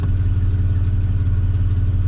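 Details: 1993 Chevy Silverado 4.3 V6, automatic, 2WD, with a complaint of cold-start stalling; after replacing the fuel pressure regulator it now idles steady and even with no hunting, stumble or misfire; healthy idle, problem solved.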